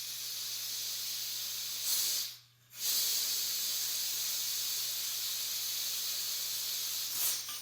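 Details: Propane transfer from a 20 lb tank into an unchilled 1 lb cylinder, which filled to two pounds total. A steady high hiss with a brief pause and a short burst as the valve bleeds is ordinary filling noise, nothing wrong.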